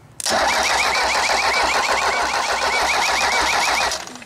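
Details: Mercedes diesel newly welded onto mounts as a trailer-mounted power unit for an edger, first crank test: starter spins it steadily for about three and a half seconds with an even compression rhythm and no catch. Cranking healthy.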